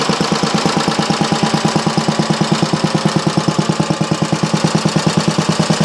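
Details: Briggs & Stratton Model A engine primed with a squirt of fuel; steady, even thumping at about three beats a second with a crisp exhaust bark. Normal running.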